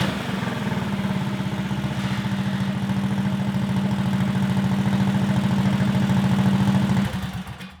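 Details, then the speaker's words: Stage 2 Predator 420cc single-cylinder golf cart with a makeshift flex-conduit muffler: a steady thump at about 3.5 pulses per second with muffled exhaust, then shutdown; normal running. "our makeshift muffler shame works pretty well man"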